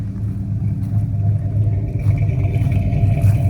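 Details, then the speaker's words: 1973 Ford Gran Torino Sport with 351 Cleveland V8, revived after sitting 35 years, running only on starting spray without a fuel pump: deep throaty rumble swelling with throttle blips, clean with no misses or knocks; normal revving. "There you go. Look how good it runs. Just running on the little bit of spray I put in there. Wow, that thing runs really good."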